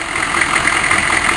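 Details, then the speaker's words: 6.5 turbo diesel started cold after eight or nine months sitting: clattering idle with faintly uneven puttering, popping beat; rough running, cause not pinned down, owner wonders about a gasket. "H what the heck is that noise"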